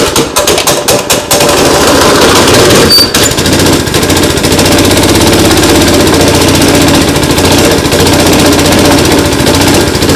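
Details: New Predator 212cc engine on a Coleman 200 mini bike, first start after install on choke: sharp pulls, then it catches and settles into a steady, fast putter with a rough edge; running normally.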